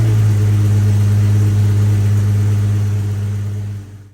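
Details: Jeep XJ with long-standing hard start when cold, 72 hours later: engine catches and runs with a smooth, even low rumble and no misses before shutdown; running normally, later a plugged pump strainer was found.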